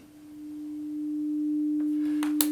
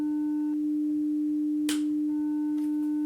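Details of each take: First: 300 Hz test tone through a Behringer Xenyx into a Tascam recorder before the X32 is connected or powered: single steady, pure tone swells in and holds clean with no hum or crackle; signal chain normal. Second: 300 Hz test tone on a hardwire Y-split feeding a Behringer Xenyx into a Tascam recorder, with a Behringer X32 switched off on the other leg: tone turns gritty and buzzy in bursts, wave squashed; powered-off console causing distortion.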